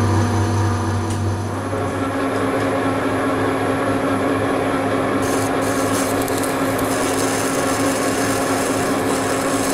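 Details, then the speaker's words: Lathe boring the bearing seat in a large iron housing for a rotating welding positioner, using a standard boring bar with a Cermet insert: rough, rumbling rasp with a steady buzzing tone, which is boring bar chatter. "This is my standard boring bar with the Cermet insert, and you hear the rumbling? That's chatter."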